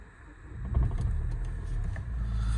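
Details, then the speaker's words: 2013 Nissan Juke 1.5 dCi diesel, 6-speed manual, 75,637 miles: short crank catches into low diesel rumble settling to a steady even idle; normal start-up. "75,637. Nice even idle. I'll give it a rev."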